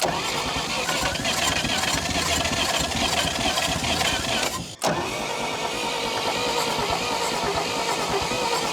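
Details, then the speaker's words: 1952 Dodge Power Wagon, unrun 16 years, cranked briefly on 12 volts with choke: fast cranking, rough uneven firing that nearly catches; owner later notes what sounds like rod knock. "She wants to start so close. I think what I'm lacking is compression. She doesn't seem to be spinning too fast."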